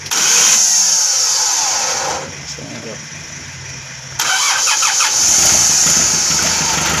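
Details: Mitsubishi Colt Diesel FE 1981 100PS truck engine, rebuilt with new original block, diesel bled of air bubbles first: loud hissing cranking, quieter spell, then it catches and settles into a steady run, starting cleanly.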